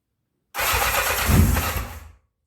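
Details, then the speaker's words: 1984 Honda CB700SC Nighthawk after carb cleaning, battery fully charged, full choke, long unrun: cranks briefly, catches almost at once and settles into smooth, even firing; normal cold start. "that's a good sign [Applause] [Music] man really smooth"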